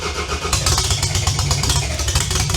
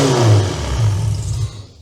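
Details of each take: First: Demolition derby build car, first start attempt on a tired engine after teardown and install: it cranks, fires and settles into a steady, even idle with no knocks or misses; runs well, though oil pressure is only 50 psi. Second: Tired demolition derby V6 at first start after build, fuel pump on, oil pressure 50 psi: rough, loud running for about 1.5 seconds then abrupt stall because the engine computer came unplugged and lost power.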